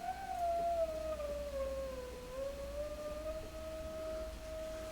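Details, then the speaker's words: Blackstar HT5 guitar amp into a speaker, fed a large 50–60 mV signal-generator tone: only a faint, thin whistle sliding in pitch over hiss comes through. Very low output, with the preamp or power amp yet to be isolated. "I have the amp connected up to a speaker and I don't know if you can hear that faint cleanup full look very very low level signal"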